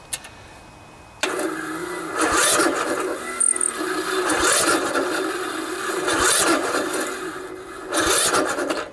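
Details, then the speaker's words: Poulan riding mower, 16 hp Briggs & Stratton single-cylinder OHV engine, in chilly ~40°F weather. Very hard to start despite a new, fully charged battery. Starter drags slowly and unevenly through compression without catching; valves need adjusting, else cam compression release may have failed. "the valves need to be adjusted if the valves aren't opening and closing exactly when they should"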